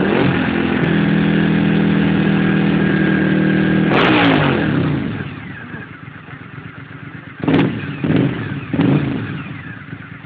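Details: Suzuki SV1000S V-twin revs roughly with misfire, then sharp exhaust pops and flames as throttle closes; owner suspects it needs new spark plugs, not confirmed.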